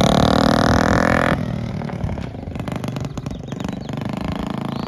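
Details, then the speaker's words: 1969 Honda Z50 (Z50A) mini bike, after full tune-up, oil change and valve adjustment, on a test ride, a little cold at first. Small single revs hard, then settles into a steady, even putter as it pulls away. Running and riding good. "Pretty good. It's a little bit cold at first. Okay, there we go, guys. Got this thing running. Seems to be riding good."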